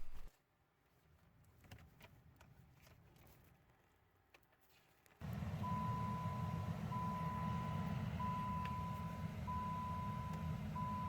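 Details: 2010 Dodge Avenger, driver-side blend door actuator by the steering column, found faulty (clicks when a door opens or the hot/cold knob turns): quick tapping clicks behind the dash over blower and engine hum; replaced.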